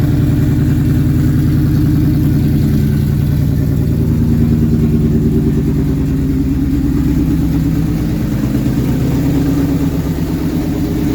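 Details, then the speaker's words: 2004 Mustang Mach 1 V8 after rebuild work, first start: steady even lope with deep low rumble and no knocks or ticks, no load; engine starts and runs healthy. "well that was a success I'm uh super happy that everything actually starts and runs now"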